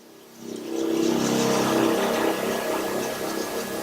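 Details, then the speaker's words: GX20 treating pump circulating through a 50 ft hose loop, with the supply ball valve shut while running to empty the chemical: the pump surges unevenly, pulsing about three to four times a second, running on air. "once I stretch this mall that wall you can hear the pumps surging"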